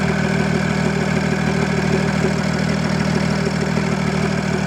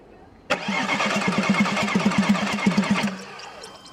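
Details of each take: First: Audi A6 C5 2.5 TDI V6 (AKE) after reassembly and fixing a clogged catalyst and a wrong injection angle: steady, even diesel clatter at idle; starts and idles normally, though it revs poorly because the turbo geometry is seized. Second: Audi A6 C5 2.5 TDI V6 (AKE) diesel, two injection pumps replaced without success: steady starter cranking about three beats a second for under three seconds, never catching; no-start caused by injection pump timing well out.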